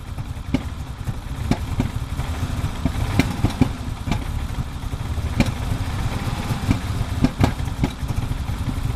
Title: 1987 E30 325is cold start misfiring